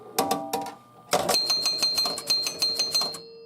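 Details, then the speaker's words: Williams Grand Prix electromechanical pinball, left bonus unit counting down: relay clicks and bell chimes step down about three per second, then stop with no kick-out thump; ball not ejected, bonus-unit zero switch suspected not connecting to out-hole relay. "Okay, so it got back to 0, but it probably didn't connect the switch or whatever."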